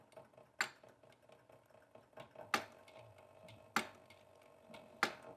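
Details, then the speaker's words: Cobra 5550BB boot top leather sewing machine sewing at picking-up pace: sharp clicks about every 1.25 s over quiet run; needle recently replaced after breaking, owner suspects needle needs rotating slightly. "you can hear that clicking noise. I think I need to rotate my needle a tiny bit. I did break a needle recently and put the new one in right before this video."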